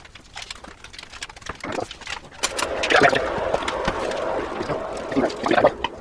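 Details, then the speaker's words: 2006 Kenwood Rapid-Bake BM200 breadmaker bought secondhand, running a bread program: irregular light clatters and taps in uneven bursts; rattling noise, cause unknown, owner wonders if something is loose. "things ain't cooking in my kitchen that it's making a noise they're quite sort of rattly"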